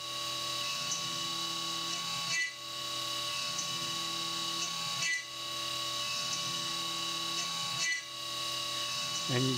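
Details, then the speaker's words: A steady spindle whine with brief high chirps comes from a small end mill during 3D machining of an AR15 gas block lightening pocket at 2% step-over. It overloads by engaging full width in right-angled corners, flexes, and eventually breaks. "hear it's getting chirpy in those right angled corners and especially in the top there where it's actually it's actually uh engaging a full width for a fraction of a second"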